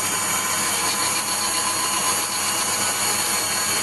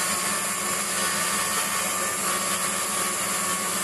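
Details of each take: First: Waldown/Dumore tool post grinder on a lathe internally grinding a bronze bush: steady high hiss of the small wheel in the bore with a faint uneven edge; contact tighter at one end, wheel brought in until it just kisses. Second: Waldown/Dumore tool post grinder finishing a bronze bush bore on a lathe, stone worked in both directions with fast in-out traverse and very light cuts: steady high hiss with no rise or fall in pitch or loudness. Even contact, so the bore is finished.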